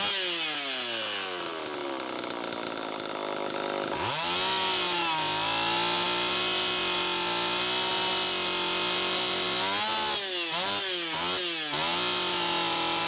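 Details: Homelite Super EZ chainsaw after fixing air leak: loose intake block/reed valve screws tightened and gasket sealed; revs to steady high buzz and blips cleanly several times without stumbling. Normal running.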